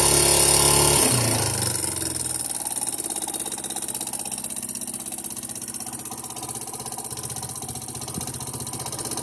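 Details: Yamaha Serow 225 single-cylinder with auction-bought engine swap (XT225 1KH/1RF engine, XT225 3RW1 CDI) revs then settles to idle with fast even clatter about four beats a second; abnormal engine noise, source not pinned down, cause unconfirmed.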